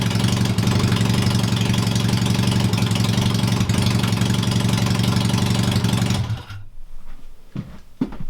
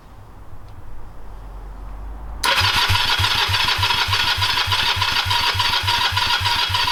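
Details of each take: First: Honda CB250 scrambler build, first engine start-up, carburetor jetting not yet done, loud open exhaust; even deep idle for six seconds then switched off, runs smoothly without missing, just too loud. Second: Honda CB250 scrambler, first start after rebuild, straight twin pipes without muffler: starter churns steadily but engine never catches; crank no start, plugs and wiring to be checked.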